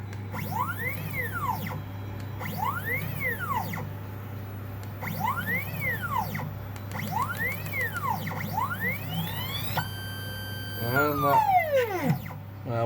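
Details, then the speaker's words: 3D-printer stepper motor on a sewing machine with G-code acceleration turned down from 50 to 10: a rising-and-falling whistle every two seconds, then harsh buzzy chatter. The stepper stalls at low acceleration but keeps receiving signals. "you hear there is a stall. It's where this stalls, and it doesn't know that it's stalled, so it carries on sending the let's call them signals."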